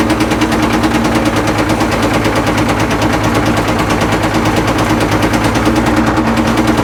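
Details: Caterpillar 977L track loader diesel, headed for scrap, started on ether: sharp gunfire-like cracks about three a second; heavy backfiring and very rough running, though oil pressure is good.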